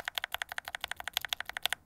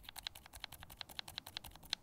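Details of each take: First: Glorious Lynx linear mechanical switches with keycaps, lubed with Krytox 205g0 from unlubed to extremely over-lubed: quick steady keystrokes with soft, rounded clacks, over-lubed ones losing responsiveness. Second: Glorious Lynx linear switch lightly lubed with Krytox 205g0, tested without keycaps: quick crisp clacks, about six a second, with no scratch; smoother than the dry switch, normal action.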